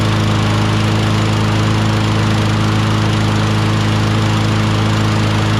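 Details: John Deere JS26 self-propelled mower, 6.75 Briggs Quantum engine, running on its original carburetor refitted with the second carb's gasket after the swapped carb proved dirty; steady, even drone with constant low hum, no surging or misses, running cleanly.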